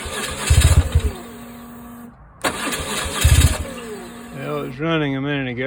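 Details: 2002 BMW R1150GSA with a new HES and everything in the tank renewed: two short bursts of brisk cranking that never catch; spins over but won't fire, cause unknown; crank no start.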